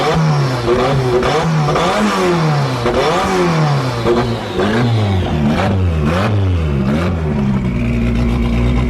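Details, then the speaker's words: Forged Toyota 5E-FE with big camshafts, first start-up with gearbox removed: loud, lumpy revs rising and dropping repeatedly, pulling cleanly with no knocks or misses; big cams make it much louder than the front engine; normal idle and revs. "Big cams that are in the back here make the engine so much more louder than the front."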